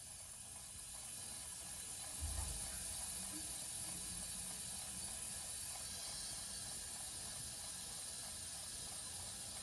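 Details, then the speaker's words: Basement, house water main slowly reopened after replacing an outdoor spigot: steady soft high hiss without knocking or banging as water refills the lines; normal refill. "You hear the water filling in. And at some point, it should stop hissing."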